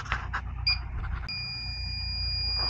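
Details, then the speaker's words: Freezer at 59 degrees starving for refrigerant; leak detector gives steady high-pitched alarm tone, leak found where the liquid line chafed through on aluminum. "You can hear it. The liquid line right there chafed through on the aluminum."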